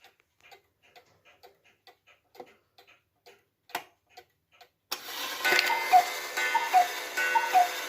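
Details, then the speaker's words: Restored Hubert Herr Black Forest cuckoo clock, movement and broken bellow fixed, running on a temporary pendulum from a Romanian cuckoo clock: soft even ticks about one per second, then clean repeating two-note cuckoo call; keeps reasonably good time, normal. "It keeps reasonably good time and it cuckoos just as it should."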